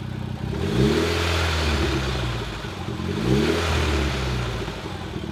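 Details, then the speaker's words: Mitsubishi Evo X turbo four, first start after engine reinstallation, jump-started at the under-hood terminals: catches and settles into a steady idle, then two clean blips that rise and fall smoothly; it runs healthily. "It's alive! It's alive! This is a moment that I've been waiting for so long."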